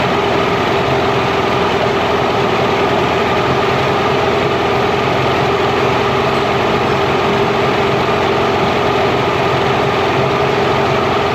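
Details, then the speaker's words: Mercury inline-6 outboard after #3 cylinder spark troubleshooting: steady even idle near 1100 rpm, no misses or stumbles; idle may drop under back pressure and may be lowered with idle screw. "I think it's sitting there close to 1100 RPMs"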